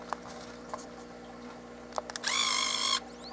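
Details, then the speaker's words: Nikon One Touch Zoom 70AF 35mm film camera, power button pressed with a measured battery fitted: a few clicks, then a short, high, even electric buzz under a second. Camera is sensitive to battery voltage variation; a weak battery is suspected, not confirmed. "on entend on entend un buzz"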